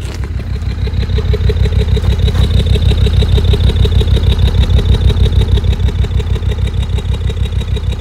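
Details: Land Rover Discovery 2 engine revved high while cold, with a steady uneven stumble about two beats a second over the low rumble; cold misfire.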